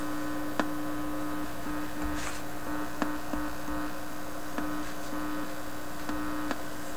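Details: Viking Model 324 record player, no record playing: steady low buzz with a few faint clicks, mains hum through the old amplifier; the level changes with plug orientation and disappears when moved from an isolation amplifier to a regular outlet.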